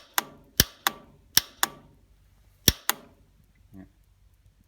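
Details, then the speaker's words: Old Farmall tractor being revived, ignition on: about seven sharp single clicks in five seconds, unevenly spaced, no cranking; solenoid works, starter doesn't; suspected stuck starter or bad solenoid contacts, replacement solenoid planned. "So either the starter's stuck or the contacts in the solenoid are bad."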